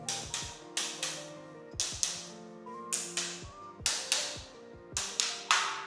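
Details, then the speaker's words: Defect check of a newly handed-over housing unit, tapping the floor tiles with a rattle hammer: sharp paired taps with a papery hollow ring show a tile not bonded underneath. "Nah kayak gini, ini kopong nih teman-teman, nanti teman-teman bisa tandain."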